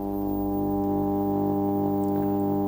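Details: Ferguson TX90 TV/monitor before repair, powered on while the C191 main supply boost voltage reads 96 V (okay). Steady buzzing hum with a rich unchanging tone that the volume can't reduce. The cause was later found to be a failed 12 V regulator outputting 16 V.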